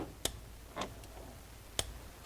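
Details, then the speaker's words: Torquing the water pump bolts on an Audi Q7 diesel to 9 Nm (79 in-lb) with an inch-pound torque wrench: sharp single clicks at intervals. Each click is the wrench breaking over cleanly at its set torque. "So right there, I hope you can hear the torque wrench click."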